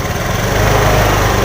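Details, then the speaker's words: Injected motorcycle which stumbled on initial throttle: after TPS adjustment, engine picks up cleanly on small throttle blips with an even beat and no hesitation; fault was the throttle position sensor. "normal normal normal teman-teman Ya hanya permasalahan dari TPS yang bermasa"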